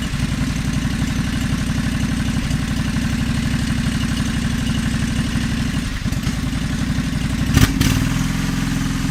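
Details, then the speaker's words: John Deere 425 during restoration, running on a new battery after the old one died: steady even low thump settling into a smooth idle, no misses or knocks; runs really good, normal idle. "Yeah, runs really good, like I told you in my last video, but the battery died."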